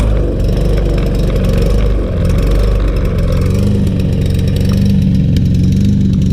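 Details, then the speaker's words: Troy-Bilt TB200 self-propelled mower, 150cc Briggs & Stratton 625EX engine, after carburetor cleaning, fresh gas and reassembly: low, uneven chug with wavering pitch and no steady rhythm, struggling to hold speed; rough running engine. "let's see if it smooths out doesn't sound too good so far"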